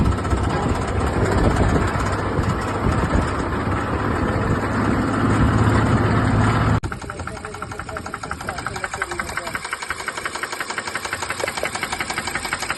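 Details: 2016 Honda Pilot engine kept being driven despite a noise, worsening until the rod bearing was destroyed; loud running then a steady deep knock about four times a second at idle; rod bearing knock.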